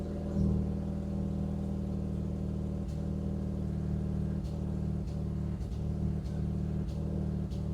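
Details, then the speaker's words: Honda Civic (modified) with a failed ignition coil, idling shortly after start: low idle hum broken by irregular dips and stumbles every second or so; ignition misfire at idle, faulty coil being located for replacement. "ചെറിയൊരു time പീരിയഡിന്റെ ഉള്ളിൽ തന്നെ ആ ഒരു മിസ്സിം വന്നു തുടങ്ങും ട്ടോ. കണ്ടോ മിസ്സിം വരുന്നത് കണ്ടോ?"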